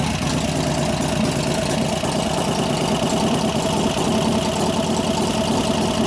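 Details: 1988 Harley FXR V-twin after lifter-noise repair (pushrod adjustment, cam change): steady even idle with relaxed loping beat, no clear top-end tapping: normal idle.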